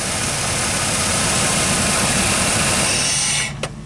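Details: Dodge Dakota: engine idles with a steady rough drone, then cuts out abruptly when the 5 V sensor reference is grounded through a test light. The computer stays alive, sets a TPS voltage code, and it won't restart with cam and crank signals missing.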